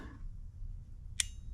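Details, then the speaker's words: Relay bench test: power applied to the relay coil pins (positive and negative can be swapped); one crisp, sharp click as the relay pulls in, then quiet, the click you want to hear, so the coil works normally. "Hear that click? That's what you want to hear. So the relay is going to be in the open position. There it is. It's clicked."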